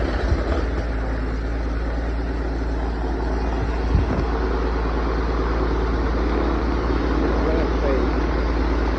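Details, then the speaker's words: 1979 Beechcraft Baron B55 piston engine running on its own power for the first time in 14 years; steady low drone with a soft, even throb about three times a second, running smoothly. "First time in 14 years it's fired on its own power."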